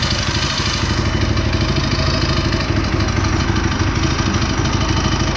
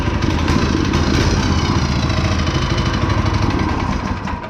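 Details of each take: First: Go-kart small single-cylinder engine, fitted with a torque converter, just started after running two hours earlier: runs on choke with a steady, fast rattling putter and no misses; choke briefly turned off too soon, then back on. Normal running. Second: Go-kart small petrol engine, just started with the choke on, newly fitted torque converter: uneven, faltering thump that sags and fades because the choke was turned off too soon; engine stumbling, choke then turned back on.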